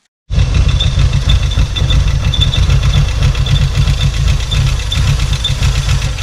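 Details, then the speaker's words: 1986 VW Golf 2 with a 1.8 GX 90 hp engine, stood nearly five years: a low, lumpy idle with uneven pulses and a shaky beat, caused by the engine sucking in air (vacuum leak); the problem was later fixed. "короче друзья проблема в том что просто подсасывать воздух и сам там брал был на это сантиметр или полтора был прокрученные теперь проблема исчезла"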